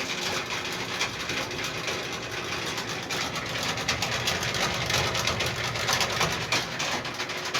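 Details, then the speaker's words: Whirlpool Duet Sport washer not draining. A harsh, gritty, uneven grinding runs continuously over the washer hum, from the drain pump; the pump was cleaned out and replaced. "this is the grinding sound that we're talking about that makes you hear"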